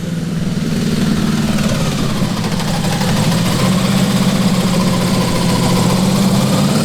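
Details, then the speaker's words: Custom V8 of eight Tillotson 212cc engines on a 900 lb go-kart: busy, rough note that wavers and stumbles, still breaking up; suspected eight carbs not fully in sync, throttles to be synced better. "Still breaking up. Yeah, that was the best one yet. I think this is telling us that our carbs need to be totally in sync."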